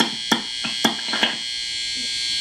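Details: Old BC Rich project guitar, single-coil plus humbucker wired Strat-style on a 5-way switch: sharp switch clicks, then a thin steady buzz in every position; hum from an unshielded control cavity, resolved by proper wiring.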